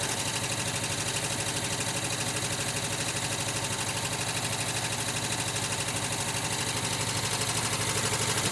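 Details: Rebuilt 1979 VW Westfalia air-cooled engine on cold start, with new Porsche hydraulic lifters pre-soaked in oil: quick even ticking at idle, fading as oil fills the lifters, now sounding like a sewing machine.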